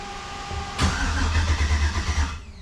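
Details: Jeep TJ with a 5.3 engine on its first fire-up attempt after pre-oiling: starter churns in a steady pulsing rhythm for about 1.5 s, then dies without catching; cranks, won't start. The fuel pump and everything else shut off when start is pressed, so a wiring fault is suspected.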